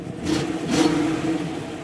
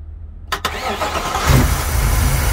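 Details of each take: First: Older car with a reportedly replaced engine (age and miles unknown) and a shot exhaust, started and given two quick throttle blips that rise and fall cleanly with no knock or clatter; the engine sounds healthy. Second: Supercharged Ford SVT Lightning V8 with suspected bad head gaskets and a flashing check-engine light for a catalyst-damaging misfire, jump-started on a weak battery, fires and runs roughly for a few seconds with uneven lumpy firing, then dies; owner says engine's blown.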